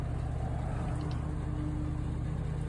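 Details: Old Ford bus V8 limping with no power on highway, labouring under load with lumpy uneven beat, one cylinder dead; misfire from blown head gasket and broken exhaust valve.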